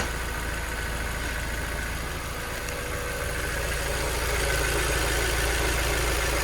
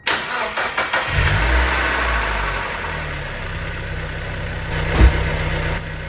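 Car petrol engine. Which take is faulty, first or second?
first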